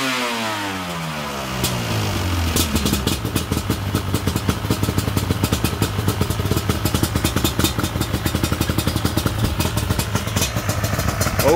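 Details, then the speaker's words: Yamaha Banshee twin two-stroke with clean carbs, after rebuilding a leaking dual Pingel petcock: fires, revs, then drops to a lumpy, popping, burbling idle. Smoky and running a real rich mixture. "she's smokey i got a real rich mixture in here good old reliable yes it's always good to hear the banshee run"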